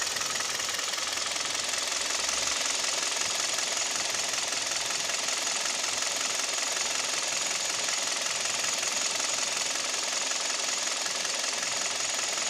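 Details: Kia/Hyundai Theta II G4KD petrol engine at idle, recorded from inside the cabin, owner reports piston knock and vibration at idle and knock at 1500 rpm: fast, busy ticking knock about three or four a second over a hissy engine.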